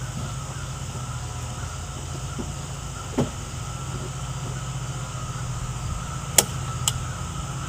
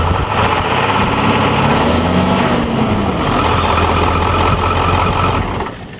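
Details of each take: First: Ford F-350 with 7.3L Powerstroke diesel after a dual alternator install, at idle: thin, steady squeal from a belt slipping on the lower alternator pulley; plan is to refit the regular pulley. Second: Ford F-350 Super Duty 7.3L Powerstroke diesel with dual alternators, heavy-duty tensioner, 136-inch serpentine belt, overdrive upper pulley and a changed lower alternator pulley: steady low idle clatter with no belt squeal or chirp; belt drive quiet.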